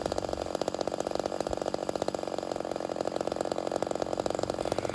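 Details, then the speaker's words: Homelite Super XL 130 vintage chainsaw after turning the idle down slightly, which richens it: quick, even crackling pops at steady idle like popcorn, meaning low-speed mixture almost right; normal two-stroke idle near correct tune. "And if you pay attention, you'll notice that the saw almost sounds like popcorn. That's a sure sign that you're really close to the final adjustment of the saw."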